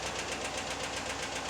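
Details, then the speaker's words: 2017 Chevrolet Silverado 6.2 L AFM/DOD, broken exhaust lifter on cylinder 4 passenger bank, bent pushrod replaced with straight one; sharp, even ticking about eight a second over a quiet idle, no misfire; lifter to be replaced. "Now when it first started making that noise, I stopped driving it so I didn't cause any more damage than necessary."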